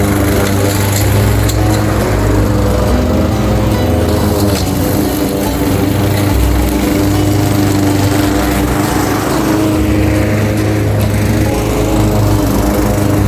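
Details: Craftsman 21-inch mower, 5.5 hp Honda GCV160 single-cylinder, reportedly non-starting with a dry tank, cutting at level two: a steady buzzing drone that dips slightly as grass loads the blade, then recovers cleanly, music behind. Healthy; technically nothing was wrong.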